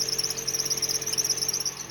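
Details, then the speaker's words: Toyota engine running with a seized variable alternator pulley: steady high-pitched screech that doesn't change with speed, from the belt slipping on the locked pulley. The belt has melted and smells burnt, and alternator maintenance is needed. "travou o alternador para polir é uma polia variável que vai nesse alternador começou a fazer barulho não adianta tem que levar para mecânico já derreteu até a correia aqui"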